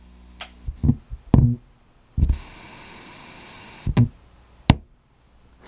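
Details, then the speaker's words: LM4610 stereo preamp/tone-control board on a ±12 V regulated supply: at power-off, hiss breaks into scattered pops, thumps and a hissy burst, then a final plop. The power amplifier stays on, so the noise comes from the tone-control board. "a whole bunch of noises and then it plops and turns off the noise is not coming any way from the power amplifier because it's still on"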